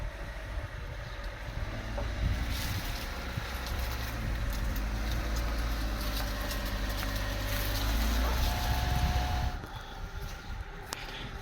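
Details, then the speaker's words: 2003 Mitsubishi Lancer ES with a new battery, moving under its own power for the first time: smooth, low, steady engine hum with no ticking or stumbling under wind noise. Normal running. "seems to be working pretty well actually."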